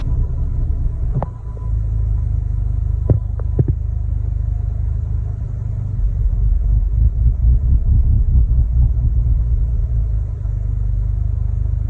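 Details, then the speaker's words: Mk3 Audi TTS before new APR coil packs and NGK plugs fitted: lumpy idle dipping below 400 rpm then surging to about 1500 rpm, never settling; rough, hunting, misfiring idle. "So as you can see from the video, it's running rough, it was sort of getting confused, not really knowing what to do. Either was dipping right down sort of below 400 and then shooting up to like 1500"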